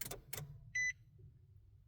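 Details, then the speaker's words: 2019 Nissan Titan, foot on brake, start button pressed: a couple of dull clicks and a short chime, but no cranking follows; no-crank, just clicks. "Does the click click. And that's it. Press the brake again. Try it again. Click. Nothing."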